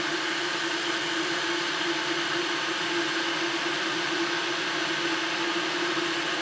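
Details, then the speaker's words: Electric kettle after DIY repair, tested with a little water: even rushing hiss with steady low hum, no clicks or crackle, as it comes up to the boil; normal boiling. "Ну вот, пошел процесс закипания. Зашумел."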